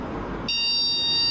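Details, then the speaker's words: Motherboard POST beep code with the memory stick removed: a repeating, shrill, roughly one-second beep with a flashing LED and no image, signalling no CPU-memory communication; a broken trace was found after cooler removal. "Aí ele já tá apitando muito. Apitou mais vezes."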